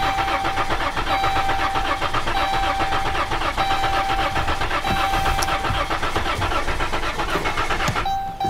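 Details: 2012 Dodge Caravan / Chrysler Town & Country 3.6 L with misfire complaint, cranking pedal to the floor; starter turns about four times a second with an uneven beat suggesting low compression on one or more cylinders.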